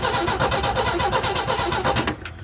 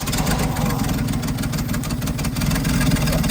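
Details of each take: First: Old International Scout slant six, not run properly in years, cranking with battery about 12.4 V, no fuel yet, checking ignition points: steady starter chug about six beats a second, never fires; no spark. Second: Old International Scout slant-six, not run properly in years, after ignition work on points, rotor, cap and coil (coil suspected weak): it idles steady with a fairly even low beat and a little rattle on top; running as it should.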